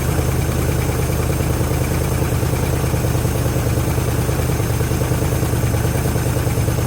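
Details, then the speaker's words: 1973 Chrysler Newport 400 cu in V8 from junkyard, fuel system just hooked up, fuel filter filling: steady low rumble, even beat about three pulses a second, no knocks or misses; normal idle, little smoke, oil pressure present. "where well it sounds like it's running [Music] good fuel filters getting some fuel that's [Music] good"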